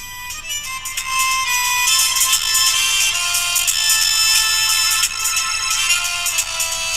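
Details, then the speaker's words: Kaiser W1835 radiogram after rebuilding its electrostatic speaker with new diaphragm material: radio music plays clearly, bright and treble-heavy with thin bass, about 251 V DC across it; normal audio output. "Sounds better. I wouldn't say it sounds fantastic, but it does work."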